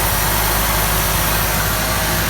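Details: Ford XR4Ti turbo, coolant circulating; previously overheated and overflowed: loud but steady, even idle with a smooth low rumble, no knocks or misses. Normal idle.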